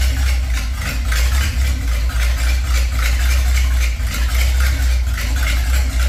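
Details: Loud idle of a 283 small-block Chevy V8 in a 1930 Ford Model A, parked since 1973, exhaust removed: deep, raw idle with heavy low rumble and a sharp bark from each cylinder, running straight off the manifolds.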